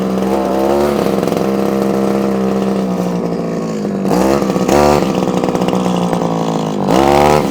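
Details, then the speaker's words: Old, probably early-1980s Komatsu Zenoah Pro 26 two-stroke strimmer, just off choke: buzzy run surges and hunts, revs rising and sagging unevenly; wants carburettor work, carb diaphragm suspected, no tuners fitted. "oh oh well it's doing something so it is actually doing something what it wants it wants a bit of a tune"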